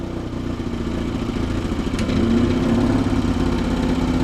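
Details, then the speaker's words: Antique tractor's small gas pony starter motor, possibly over-choked with gas: runs unevenly, its beat stumbling and surging rhythmically at a fast idle; rough running. "This thing is gonna be fussy. This might take longer than expected, guys."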